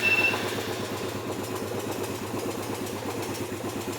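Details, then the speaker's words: Motorcycle started with the engine-start feature of a newly installed Android Smartkey 3-in-1; the indicators stay lit. Quick catch after a brief crank, then a light, regular putter at idle with no knocks. Normal start and idle. "Indikator tetap menyala dan mesin motor menyala."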